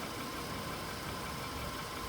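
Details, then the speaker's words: VW Polo Sedan (Kaluga-built), 99,329 km, fully warm idle after about 10 minutes, heard standing beside the car: faint light tapping under the engine hum, a knock that owner says is worsening; source not pinned down. "И вот такой вот, если прислушаться, постукивание. Стою рядом, и вот такой стук."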